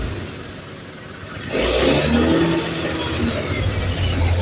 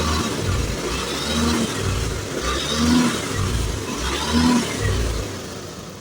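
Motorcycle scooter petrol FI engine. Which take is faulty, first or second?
first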